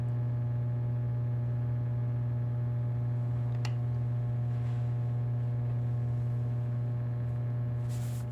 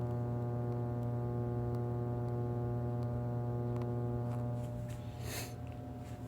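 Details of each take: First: Energized plate transformer with fixed secondary and changeable primary, at no load: a steady, even low hum with no buzzing, rattling or fluctuation. This is normal transformer hum. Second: Live plate transformer with a broken core bolt, phone held right on it: loud, steady low hum with strong overtones and no pitch change as coils and core shift slightly. Core hum from a loose core.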